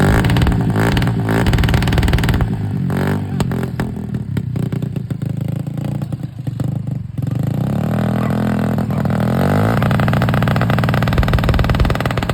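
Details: Small two-stroke 50cc motorcycle revving up and down with a rattly, uneven clatter over the revs; abnormal engine noise, cause not identified.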